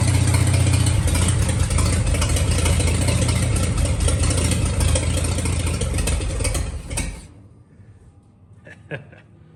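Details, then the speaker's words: 1941 Dodge half-ton pickup, after sitting 39 years, run off a 6V battery clipped on with a temporary fuel setup: catches and settles into a steady, even low rumble before shutting off; running okay, normal idle. "running okay well we just had a run in there for for probably 10 minutes"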